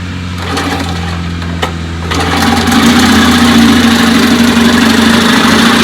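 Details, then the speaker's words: 1956 Johnson 15 hp outboard after replacing points on the misfiring top cylinder; starts and settles into a steady, even buzzing run with no stumble, running healthy. "all right so together joshua and i changed the points on the top cylinder that was misfiring and that puppy runs good"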